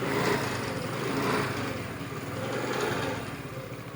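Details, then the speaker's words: Honda Grazia scooter with a self-start fault (kick worked; new battery, relay, coil fitted) starting with the self-switch wires bridged directly: light, even patter rising and falling slightly; engine runs normally. "ఈ రెండు direct చేస్తే మీకు self అవుద్ది అదిగోండి selfie అయితే అయింది"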